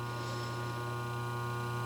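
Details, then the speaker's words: Lock relay with new coil, armature set vertical and back screw tightened: quiet steady low hum from the energized coil, no buzz or rattle; normal faint relay hum. "that's the way it should be I mean you're going to hear some some hum it's only humming cuz it doesn't know the words haha"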